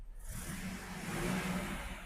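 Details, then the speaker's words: 2000 GMC 1500 parked 4 years, after reconnecting a loose spark plug wire: engine revs up smoothly and settles to an even note, no stumble, no longer missing, firing on all cylinders, no smoke seen. "Got it back on there. Now, it's uh not missing no more. And it sounds pretty good."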